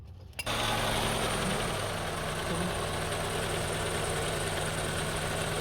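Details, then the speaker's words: 2002 Honda CR-V 2.4L after refitting original part, upstream O2 sensor found as rough-idle cause: engine catches and settles into steady, even idle with no stumbling or hunting; rough idle fixed. "so we we install the original one back on and usually rough idling start after a few seconds later but as you see it looks good no more rough idling that's fixed"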